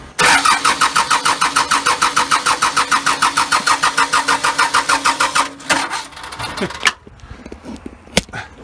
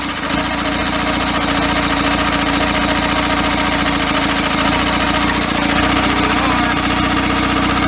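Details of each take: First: First start of first-ever engine build with custom motor mounts, cold, in neutral: even starter cranking about three beats a second for five seconds without catching; no start, needs extra fuel. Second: First start of a first-ever engine build on custom motor mounts, cold, idle set too low, needing extra fuel; loud, fairly steady run with a busy, slightly uneven pulse and noisy top end, running on its own.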